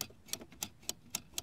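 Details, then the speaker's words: Hedge-trimmer handle safety switch after being refitted, with a spring missing on one side: six crisp clicks about every quarter second as it snaps over cleanly, noticeably easier than before; normal switch click. "you hear the click that means it's working click-click-click"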